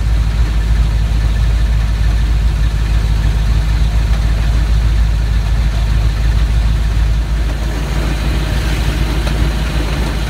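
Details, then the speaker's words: S10 Blazer swapped to a 4.8 with a T-5 manual, new U-joints and rebuilt transmission mount, warm, in gear at idle under load. A low rumble with a coarse grinding rattle. The T-5 is suspected, unconfirmed. "this is one of those most frustrating moments when you've definitely been able to replicate the issue in your vehicle I've replicated that rattling grinding sound"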